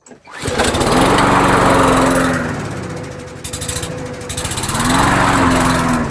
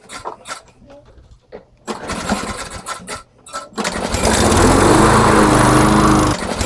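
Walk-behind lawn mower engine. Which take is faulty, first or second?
first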